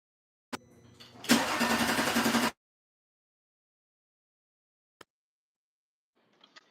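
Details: Audi after replacing fuel rail pressure sensor. Starter cranks steadily just over a second, engine never fires, then silence; crank no start, problem persists.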